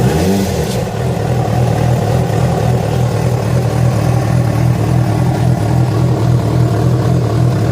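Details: Yamaha FZ6 four-cylinder revving after riding ~70 km on two cylinders from a failed ignition coil connector: an uneven, rough clatter over the exhaust note; a strange engine noise of unclear cause.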